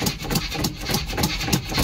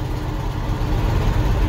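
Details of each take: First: 1982 Chevy K30 Squarebody 1-ton 4WD, cold start, gas pedal pumped with fuel not yet pulled up. Slow, lumpy cranking for about four seconds before it catches into a deep rumble; cold-blooded, and the choke may not work. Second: 1982 Chevy K30 Squarebody V8 started cold with a suspect choke: deep, even rumble with no knocks or ticks; steady, healthy idle.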